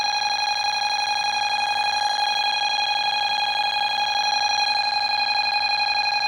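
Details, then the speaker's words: Bosch B9512G security panel, armed, after a pull station is tripped: loud, steady electronic siren around 800 Hz pulsing about 100 times a minute, panel in full alarm. "Okay, I was going to go into arm And as you can see, it's an alarm."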